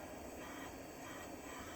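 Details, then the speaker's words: Ford Focus SVT, leak-down test at about 75 psi, engine stopped and pressurised: faint steady hiss, audible leak heard at the exhaust side, yet the tester shows the cylinder well within limits (under 20%). "again we have an audible leak at the exhaust side as you can hear have a leak at the glass side but according to the tester we are well within our limits so that's good but you can hear a leak"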